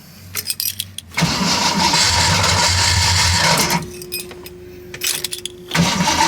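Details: 1979 AMC Spirit AMX with new EFI system, first test drive tuning, idle target 850 rpm: engine runs briefly, dies, starter whirs and it refires; stalls repeatedly.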